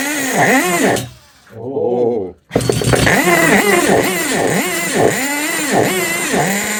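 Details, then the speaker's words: Tamiya Nitrage 5.2 1/8 nitro truggy, built 2008 and run after long storage. Catches after a stumble, then burbles unevenly with its pitch wobbling about four times a second. It is running rich, and the owner suspects stickiness from sitting. "it is running rich but you know maybe the car's just a bit sticky but just from sitting"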